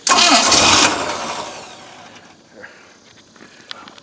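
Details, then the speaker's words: Boat engine with ear muffs supplying water, just after a new manifold was installed and before the throttle linkage was hooked up. Under a second of harsh cranking that never catches; the carburetor has run dry and must be refilled. "turn the ignition on oh I got the mirror we have to fill the carburetor back up with you"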